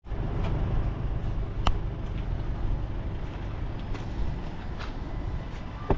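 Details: 2014 Land Rover Discovery 4 3.0 diesel: steady low starter churn with faint ticks that never catches and fires; cranks but will not start.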